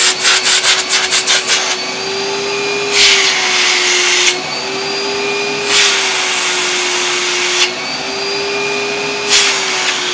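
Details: Hoover SC364 Vogue 1300 exclusive vacuum, unrestored, with old bag and filters: steady motor whine whose pitch lifts slightly each time the hose end is blocked, lighting the bag-check indicator, with airy hiss between; runs normally.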